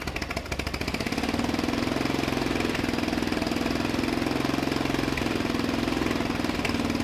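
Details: Murray LT1000 wide-body riding mower (2000), deck removed and custom-lowered, first jump-started run on starting fluid with the new exhaust: a fast, steady patter held well above normal idle; high idle, likely a sticking throttle.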